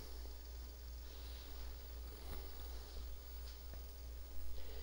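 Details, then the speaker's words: Coleco Adam Data Drive after repair of a melted encoder wheel: an even motor hum with faint ticks as it seeks block zero, slows, then reads the tape normally and boots CP/M. "now it's racing to find track zero or block zero which is the start of tape here's stop it stopped took a peek let's see what was there that's where it stopped again see slowed down i mean and it found where block zero is now it's reading"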